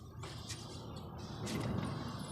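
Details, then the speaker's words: Maruti Suzuki Super Carry mini truck wheel turned by hand: low, rough rumbling grind with scraping bursts, very loud rattle; rattles when driving, louder when empty and faster; worn wheel bearing. "इससे बहुत तेज खड़खड़ाहट की आवाज आ रही है।"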